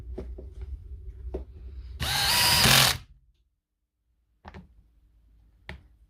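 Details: Power tool motor test run after replacing badly worn, crumbling brushes, with magnet and field coil found good: a short, smooth high whir lasting about a second that winds down cleanly, handling clunks around it; runs fine.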